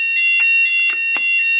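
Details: 2008 C-TEC Firesafe conventional fire alarm panel weekly test, Fulleon Squashni G3 sounders triggered by a CQR FP2 manual call point: loud steady high-pitched electronic tone without a break; sounders working correctly.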